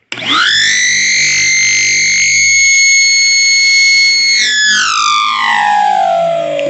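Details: Shop vacuum with a 24-foot hose held open, nothing attached: piercing steady scream with stacked high tones, sliding down as the motor spins off; normal without hose; cause not stated, plan to cut hose shorter.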